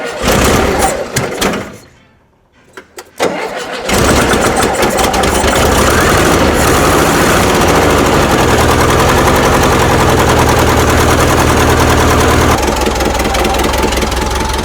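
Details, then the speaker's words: 1974 VW Bus flat-four, first start after installing dual Weber 34 ICT carburetors and an electric fuel pump: short crank, then catches and settles into a steady, even idle with no misfire. "And she runs. Just like that, that simple."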